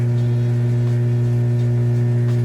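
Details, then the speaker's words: Kenmore stacked washer-dryer laundry center, washer moving from wash into rinse and draining: steady, even low hum, pump running nice and fast without surging or rattling; normal drain pump operation. "You can hear that pump running nice and fast."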